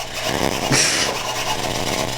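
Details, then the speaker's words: Traxxas Spartan RC boat steering servo that stopped working after a short run: harsh, uneven grinding buzz with a loud surge early on as the servo jitters; owner thinks he broke it, cause unknown. "I think I just completely broke it I don't think it's supposed to be making that sound"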